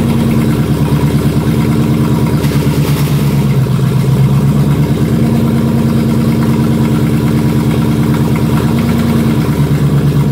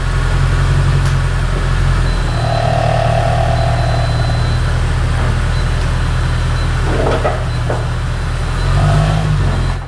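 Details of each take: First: Jaguar S-Type R V8 (406 hp) idling while gears are selected during a gearbox oil refill, with a rough disturbance like a missed shift. The gearbox previously would not shift past 3rd; cause unconfirmed. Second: Jaguar S-type R 406 hp V8 after replacement automatic gearbox fitted and refilled with oil: steady low engine drone under load, smooth and even, no gearbox whine or clunks.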